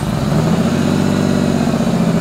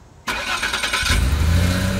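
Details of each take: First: Idling before repair with rough rapid puffing from a rust-leaked exhaust flex pipe, letting fumes into the car; later fixed without welding. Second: Car after DIY rust-damaged exhaust section replacement with clamps, checked with soapy water: engine cranks, catches and settles into a steady even idle with no ticking, puffing, bubbles or audible leaks.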